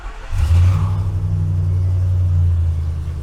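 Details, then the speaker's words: 2012 Ford F-250 6.2L gas V8, 274,767 miles, cold start in a closed shop: it catches at once into a strong, steady high idle with no knocks. The gauge shows oil pressure, though it falsely drops to zero at idle (sending unit suspected, before replacement). "So while it's in high idle, I got all the shop doors closed. It's cold outside, so."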